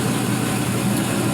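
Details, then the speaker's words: 4.8L Gen 3 LS V8, 175k miles, new lifters and starter, warming to about 145°F: smooth even low idle, steady rumble, no top-end ticking; no lifter noise, healthy. "brand new starter there nice and quiet no lifter noise brand new lifters on there"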